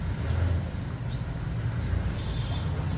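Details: Toyota Fortuner diesel that had a ticking which grew louder with the aircon on, after a new part was fitted: low, even rumble with no ticking or tapping; now quiet, normal idle.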